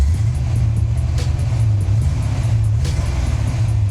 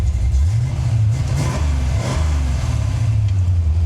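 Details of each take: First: Coupe V8 while driving: deep rumble with uneven loping beat, a dead miss with one cylinder down; owner suspects a fouled spark plug, not a head gasket. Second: Cammed engine idling after a fouled number five plug was fixed: deep, even, lumpy cam lope with no misfire or stumble, all cylinders firing.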